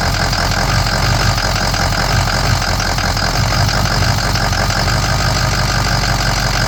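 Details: Ford 6.0 Powerstroke diesel idling rough with no codes: an uneven, lumpy low rumble with a wavering beat instead of a steady clatter. The cause is undetermined.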